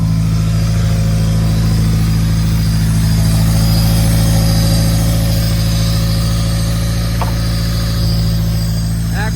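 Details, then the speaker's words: Built Honda D16Y8 engine just reinstalled in an EG Civic, first start, warming up with check engine light on: steady fast idle, even beat, no hunting, well above normal warm idle; owner suspects IACV control, not confirmed. "We got a little bit of a high idle. Uh almost seems IVAC controlled."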